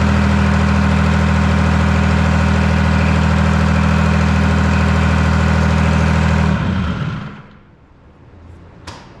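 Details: Detroit Diesel 3-53 two-stroke diesel, first start after 25 years idle and camshaft reversed to correct orientation: deep, even beat with strong steady low drone, then clean shutdown; warming to about 100–150 degrees, no exhaust fitted; running nicely.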